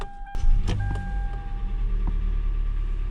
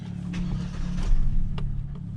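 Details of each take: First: Car warming up after it started once the fuel pump was touched, suspected intermittent fuel pump: a few clicks, then smooth low idle hum holding steady without stumbles or misses; runs fine, pump replacement deferred. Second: Car no-start: after fuel pump was heard working, engine briefly catches with a swelling low rumble then sags and dies within two seconds; mechanic suspects the fuel pump, unconfirmed.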